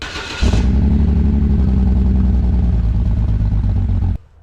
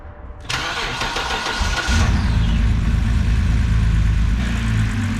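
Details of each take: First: 2006 BMW 325xi with N52 engine, muffler cut off by previous owner: engine catches and settles into a loud, deep, raspy burble with hollow rumble; loud exhaust from removed muffler. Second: 2006 BMW 325xi after fitting a new fuel injector to fix rough running, muffler cut off: cranks and catches at once, then settles into a low, even idle without stumbles or misfires; running smooth.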